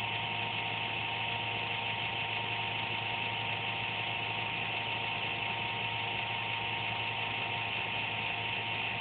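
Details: Computer making an intermittent buzz once or twice a day, performance unaffected: an even hissing buzz with a thin whine on top; the owner thinks it's the fan but is not sure.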